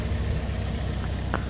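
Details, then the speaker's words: Willys idling smoothly like a sewing machine on a hot Portland day: low, steady, even beat with no loud noises, knocks or ticking; earlier carburetor noise went quiet once the intake was refitted. Normal idle. "that really runs nice no loud noises no ticking a little bit of carburetor noise which is now quiet i put the intake on that baby purrs like a kitten"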